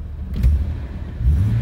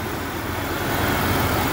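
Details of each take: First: Police-model Jeep Cherokee XJ runs with a deep, uneven, surging rumble after crankshaft position sensor replacement and retrieval of a screw dropped into the bell housing; owner attributes the roughness to its first run in a long time; rough running. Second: Police-model Jeep Cherokee XJ just started after six months, cold day, new crankshaft position sensor fitted: idle picks up slightly then settles smooth and even, no misses or knocks; running healthy.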